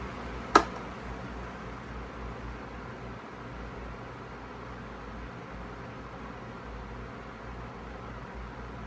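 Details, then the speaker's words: Feature Comforts FT30-3D table fan, needing a clean, switched to speed 1: a single click, then a quiet, even airy hum with a faint low drone, no rattle or scrape; healthy on low. "Alright, so that's speed 1 there."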